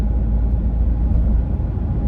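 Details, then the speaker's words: New Toyota Tacoma cabin while driving at cruise: even low rumble of tyres and wind with no whistle or rattle. A little wind noise may come from a pillar. Ordinary, normal cabin road and wind noise. "I can hear a little bit maybe from this pillar over here where wind is hitting, you know, the actual body or pillar of the truck itself. You're never going to get rid of that."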